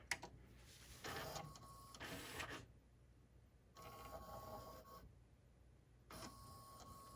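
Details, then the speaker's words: Pioneer CLD-59 laserdisc player, top off and laser not yet fitted, after the laser sled motor holder was repaired, cleaned and greased: short whirring bursts with quiet pauses, no grinding or clicking; the sled travels freely, fixed. "Looks like it's working to me. Okay, this one's fixed."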